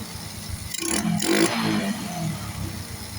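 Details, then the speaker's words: Honda RS 125 carbureted motorcycle that would not start, after draining fuel possibly contaminated with diesel: engine catches, revs briefly and settles into an even idle; problem solved. "So yun mga boss. Okay. So na-solve na po ang problema."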